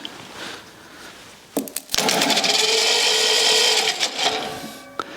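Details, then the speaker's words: Rebuilt U23 engine cranked by starter with spark plugs out, no compression, to fill oil channels before first start: fast, even whir, steady about two seconds, no knocks or drag; spins freely. "so much easier for the starter motor to rotate the engine without that compression on it"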